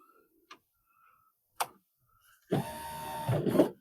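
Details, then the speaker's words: Mini Cooper R50 passenger power window after motor repair (stuck carbon brushes freed): short, quick, even motor whir with smooth travel and no grinding; window works normally. "Oh, that moves quickly."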